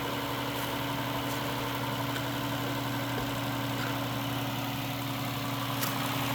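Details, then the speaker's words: Engine at 223,000 miles with oil and coolant buildup idles rough with a low hum and scattered sharp knocks; suspected rod knock hitting the top, possibly a lifter, not confirmed. "all right well you've seen it and you heard it it's definitely not sounding good uh it could be even a rod knock on this on the top so maybe one of the lifters but uh I think one of the rods is hitting the top"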